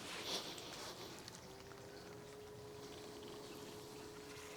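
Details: BougeRV 12V portable propane water heater with internal battery; water pump in a bucket, switched on in cold-water mode by a 5-second press. Quiet steady hum settles in over faint outdoor background, even and unwavering. Pump running normally.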